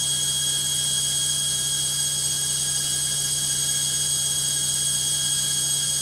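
A loud, steady hissing roar with a high whine through the fast spin, far noisier than a washer should be.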